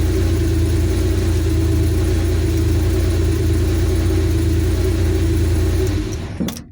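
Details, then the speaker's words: 1983 Porsche 911 SC, 3.0 L normally aspirated air-cooled flat six, hot with oil at operating temperature: smooth, even burble and steady low drone, no knocks or misses, then shut off; normal warm idle. "It's hot. Oil is at operating temp."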